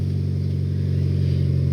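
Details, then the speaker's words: 2002 Saturn SL four-cylinder after repair: an even, smooth idle with no skips, firing on all four. Before the work it ran like a bad diesel, as if on only two cylinders. "is nice and smooth the engine is definitely firing on all four"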